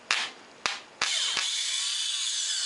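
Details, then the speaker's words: Polaris 400 ATV starter motor, cleaned with worn but usable brushes, bench-tested on a battery: two sharp clicks then steady high-pitched whirr holding even; starter spins freely, longevity uncertain. "Oh, it actually runs. Okay. I don't know how long it'll run, but it's running now."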